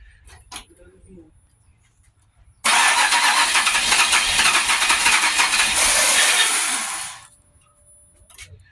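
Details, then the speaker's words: Abandoned Pontiac Grand Prix GXP, first start attempt: long steady starter churn of about four seconds with no catch; owner suspects it could be out of fuel despite five fresh gallons of 91, and the new fuel pump isn't installed yet. "it could be out of gas I put five gallons in it a fresh 91"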